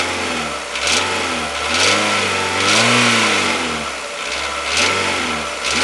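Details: 2007 Renault Logan 1.6 8-valve engine, driven about 20,000 km with the knock: revs rise and fall with clattery bursts over the rev peaks; engine knock under load, source unknown.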